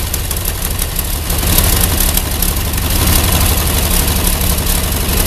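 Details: Ford 8N tractor with a six-cylinder flathead Ford truck engine, after a new battery, fresh gas and a homemade harness, choke pulled: low uneven chuffing as it fires, then a steady, rough-edged run as revs build; normal start.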